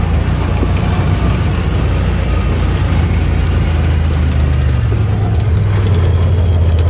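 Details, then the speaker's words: Honda Talon after a repair for rough running, ridden on a muddy dirt road in cold rain: a strong, even drone pulling steadily under load with no stumble, and the power is back. "got a pretty good bit of power back of course the dirt road as muddy as all get [Music] out"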